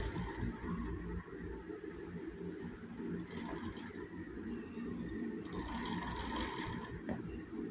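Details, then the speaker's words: Axis 200M mini bike with a flat tire, chain guard off, drive turned by hand: irregular ratcheting clicks and scraping that tighten at one point per turn until it won't move. The chain is very tight; a bad bearing or misalignment is suspected. "But you hear that sound? It gets to a point, and it gets to a point you can't move it."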